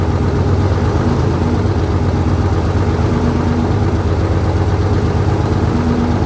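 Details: 1968 Dodge C500 truck on a cool day, about 15° colder than before, started via jump from another truck and starting fluid: deep, steady low rumble holding an even idle, no knocks, stumbles or surging; runs fine.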